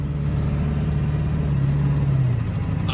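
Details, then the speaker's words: Service truck driving to a Mustang skid loader job: engine note rises then eases smoothly, with no flare or bang. A possible broken wire that acts up over bumps was suspected, and the transmission is now shifting fine. Normal transmission shifting. "the transmissions shifting just fine now"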